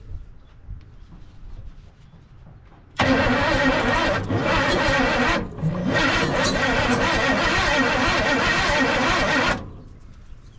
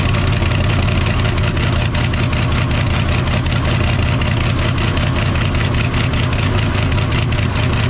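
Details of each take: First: 1968 Chevy C10 small-block V8, seized engine freed after sitting since 1996, fuel poured into intake: about six seconds of cranking with uneven attempts to catch but no start; owner suspects timing off, plug wires misrouted. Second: 1968 Chevy C10 small-block V8, seized and sitting since 1996, freed and started with starting spray; steady even idle with faint regular tick and smoke from the exhaust, running again after 29 years.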